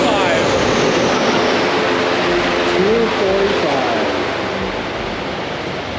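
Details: 2022 Subaru WRX turbo four with JB4 tune on 93 octane, full-load dyno pull: pulls hard at high revs with a steady roar and no misfire or stumble.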